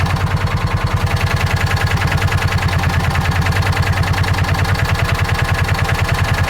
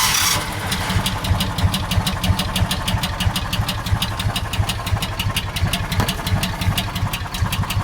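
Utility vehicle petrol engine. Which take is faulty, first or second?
second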